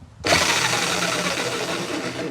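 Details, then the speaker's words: Baurm-AG rotary hammer found at the dump, first power-up test on trigger pull: steady strong motor drone with fast, even hammering rattle, no grinding or stutter; sounds strong, running normally. "yes! Well, there you go. That sounds strong as well."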